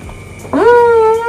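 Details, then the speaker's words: Samsung single-tub washing machine that won't drain, tub turned by hand: short groan settling into a steady moan, a dragging or jamming noise; suspected cause of the drain failure. "Pada saat kita putar ada suara kentut, ada suara kayak macet gitu ya."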